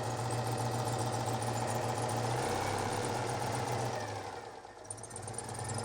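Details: 1988 Citroën 2CV twin-cylinder (built June 1987) cold start, on choke, microphone repositioned on the bonnet: even steady idle that sags and settles as choke is eased in, then runs smoothly; normal cold-start idle.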